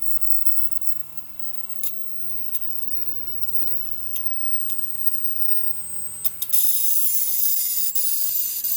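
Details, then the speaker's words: Ozone dielectric cell, isolated on a test box while power is turned up: sharp, irregular snaps and cracks that quicken with power, then hissing; wattage erratic and frequency not dropping as it should. Bad cell arcing. "cell is arcing the power meter is kind of freaking out and the frequency is not doing what it should so it's clearly a bad cell"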